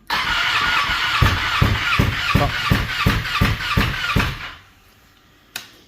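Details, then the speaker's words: Ducati 959 Panigale race bike that lost power and misfired at Cadwell, then would not restart; battery fully charged, ECU error code cleared. Starter spins with steady compression pulses near three per second, but it never fires, though fuel can be smelled. "It does not start, but when you do try to fire it, eventually I can smell fuel, so this is actually pushing fuel out. It's not firing up."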